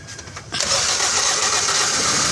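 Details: Toyota Vios that cranked but would not start after owner DIY work: petrol engine catches abruptly and runs steadily after the head/body ground was reconnected; fuel pump hose had also been left disconnected.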